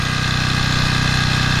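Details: Toro Personal Pace 20333 mower, Briggs & Stratton 190cc engine, restarted on its new aftermarket carburetor with correct governor shoulder bolt: steady, even putt-putt at constant speed, no misses or surging; healthy normal running.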